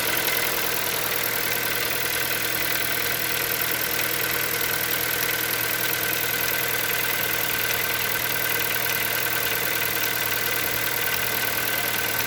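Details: Hyundai Solaris 1.6 cold start: sharp ticking knock around 200 per minute over busy engine noise at cold idle; engine knock while cold, cause unclear.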